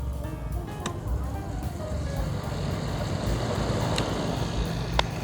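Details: Secondhand electric fan with a faulty switch, live wire jumpered to the switch: steady even whir and low hum, no rubbing, ticking or wobble on speed 3, running smoothly; owner concludes the thermal fuse is blown.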